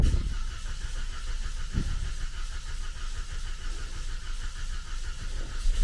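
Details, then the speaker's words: 2014 Cadillac CTS 2.0T first start after new timing set and head gasket: brief crank, then a low, even idle with no ticking or knocking; exhaust smoke expected, normal start and idle. "we need to let this thing run it sounds good"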